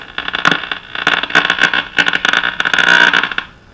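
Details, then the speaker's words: Early-1930s Silvertone Companion 57 D 1704 radio powered up around 125 V: irregular crackling buzzy bursts over steady hiss, continuing with antenna lead disconnected; suspected dimmer-switch-type interference, unconfirmed. "turn the volume down sounds like a dimmer switch or something"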